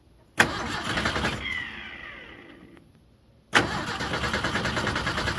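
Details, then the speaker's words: 1976 Ford Power House pull-start engine, revival attempt: two hard pulls spin up and fade without catching; spark confirmed, so it's fuel delivery; possible vacuum leak suspected, fuel mixed 40:1 added. "No, she's got spark. It's fuel delivery."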